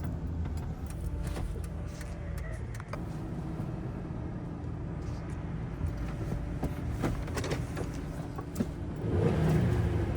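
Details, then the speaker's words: 2000 Ford Ranger 3.0 V6 revving high with the foot off the pedal: a steady drone held at raised speed that won't settle. Owner suspects a sticking idle air control valve; a dirty MAF, throttle body and IAC were later cleaned. High idle. "You can hear it just revving. Foot's not even on the gas pedal. Thing's just revving like crazy."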